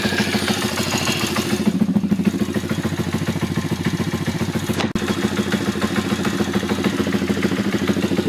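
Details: YX140 engine at very low rpm: steady idle with quick, fairly even light knocking, about three per second, on the right-hand clutch side. The knock disappears when revs are raised; cause unknown.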